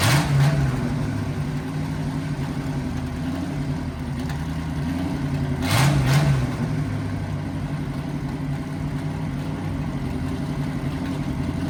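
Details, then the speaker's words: 1963 Chevy C10 small-block V8 under restoration, running before mufflers were installed. A deep, loud, choppy rumble with lumpy pulses swells when revved. Loud open exhaust without mufflers. "So now once we put these on, we're going to hear this thing run. So it is and it should be a lot quieter."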